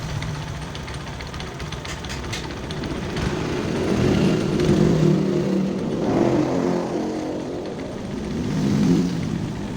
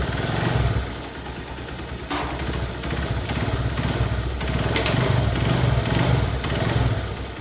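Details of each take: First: Honda Verza 150 clutch housing: a loose, uneven rattle of about three per second swells with revs. The damper rubbers are suspected hardened and loose. When checked by pressing the clutch lever, the noise sometimes disappears. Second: Honda Verza 150 single-cylinder idling steadily and evenly with no knocks or rattles after the worn, hardened, loose clutch damper rubbers were replaced and the engine reassembled; normal idle.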